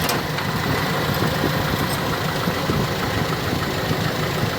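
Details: Owner-type jeep started after 8 months unused; low, even engine murmur, steady loudness, no shaking or misfire; normal idle.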